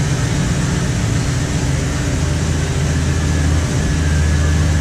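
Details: 2016 Chevy Express 2500 van, 4.8L V8, after water pump replacement for coolant leak: steady, even low idle rumble with no knocks, ticks or whine; runs smooth and healthy.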